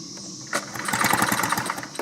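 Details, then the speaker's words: 2-cycle blower with a new spark plug grounded to a socket for a spark check: quick rattling recoil pull with about a dozen fast compression pulses, never firing; cranks but no spark. "we're looking for a spark right in there and I don't see any"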